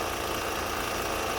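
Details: Honda Pilot with engine noise complaint, oil and coolant levels fine, running on Mobil 1: dull steady knock under the idle; rod knock suspected, though the noise seems to come from the timing belt area.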